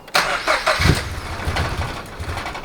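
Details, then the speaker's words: Turbo Toyota GR86, port-injected, after fitting 1050cc injectors and a DeatschWerks 300c pump: uneven chugging crank, never firing. The passenger-side injector line got no fuel although the pump works; they suspect a missing seal in the fuel pump. "I pulled the passenger side fuel line to the injectors. It's not getting fuel. Therefore, pump's working, but it's not sending fuel."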